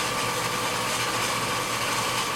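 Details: 30-inch Covington lapidary slab saw after replacing a pulley melted when a stone caught the segmented blade: even, steady motor hum with constant mid-pitch whine, no knocks or rubbing; runs smooth, slight belt wear noted.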